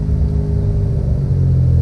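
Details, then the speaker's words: Restored Mitsubishi 3000GT VR4, twin turbo, after a parked rest following hard driving: a deep, even rumble builds cleanly through the revs into third gear with no stutter. The earlier breakup is gone; the owner suspects fuel cut, though the idle is high again. "I beat the [ __ ] out of it I parked it and now it's running [ __ ] fine"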